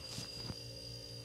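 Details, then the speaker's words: Magic Chef (Ewave) MCWC30MCG wine fridge, curbside find, after fixing the clicking starter/overload problem: quiet steady low hum with faint high whine; compressor starts and runs normally. "I hear a compressor and that she's a running that was our problem so this thing was at the curb for really no good reason"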